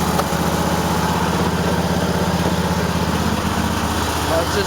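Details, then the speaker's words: Cub Cadet tractor twin, right cylinder missing only at idle, fine when revved; owner suspects carburetor dirt, bad spark plug or arcing plug wires: lumpy idle about four pulses a second with occasional pops; misfire at idle. "just running like shit. Hear it popping a little bit, I don't know. Might be a speck of dirt in the carburetor, but as soon as you rev it up, it's fine. I don't know. Only at idle it fucks up."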